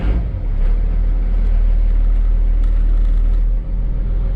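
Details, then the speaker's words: 1995 Dodge Ram 2500, 12-valve Cummins turbo diesel, with rebuilt NV4500 5-speed manual and a new clutch, run in gear on the lift after the repair: deep steady rumble with no whine, growl or clatter. Healthy transmission. "Woo! No noise. I like that. Awesome."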